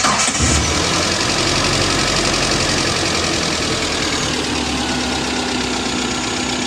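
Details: Engine after thermostat replacement for overheating, coolant overflow and boiling in the radiator; warmed up after a long test drive. Fires and settles into a steady, even idle with no bubbling or boiling. Running normally.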